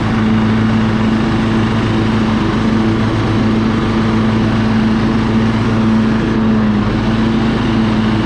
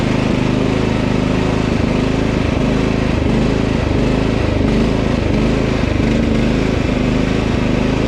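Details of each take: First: Husqvarna LT1538 mower with a Kohler CV15S engine, after cleaning the carburetor because old ethanol fuel caused surging: warmed up and idled down, a steady, even single-cylinder drone with no hunting. It runs smoothly. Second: Husqvarna LT 1538 mower with Kohler CV15 single-cylinder engine idling unevenly, speed drifting up and down (hunting/surging); it quits after mowing a while, caused by old ethanol fuel gelling the carburetor, fixed by cleaning the carb.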